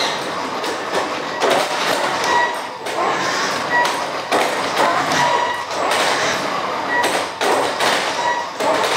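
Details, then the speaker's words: Hobbywing Max6 G2 ESC in a Traxxas X-Maxx 8S with a sensorless motor, stock firmware: motor start cuts out in uneven bursts with thuds and gaps, inconsistent; cogging on throttle, fixed by a later firmware update. "you can clearly hear the motor start ring and it keeps getting bad in between so it's not consistent but the cogging is definitely present with the stock firware on this Max 6 G2"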